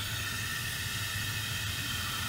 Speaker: you can definitely hear that it's running now if you go down here and you shut the water supply off you'll hear that that noise goes away